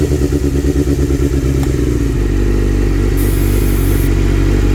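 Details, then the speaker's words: 1997 Suzuki GSX-R750 with starting fluid sprayed at the intake manifold: uneven lumpy hanging idle with irregular pulses; lean condition from an air leak at a dried intake manifold-to-head O-ring. "So, it has a dried O-ring in between the intake manifold and the head. So, we couldn't have known that before, but uh yeah, that air leak is causing a lean condition, causing a hanging idle."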